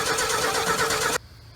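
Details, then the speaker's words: 1968 Ford F100 that sat 20 years in the woods, cranking in gear while the fuel line primes to the carb: sluggish, laboured cranking for about a second, turning slowly without catching. Slow cranking. "give her a little help here cranking kind of slow so if we can get it kind of lit off it'll um that fuel pump will kick over a lot faster and we'll get this fuel up to the carb quicker"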